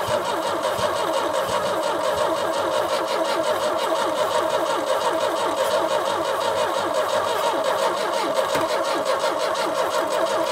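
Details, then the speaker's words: 1989 Chevy S10, 2.5L four-cylinder Iron Duke, 5-speed manual, abandoned about 22 years in a Michigan field: steady starter cranking with no firing; smells of gross gas, spark present but weak, so it cranks but won't start. "smells like gross gas so I don't think we have any spark though we have spark okay it's weak but we do have [Music] spark"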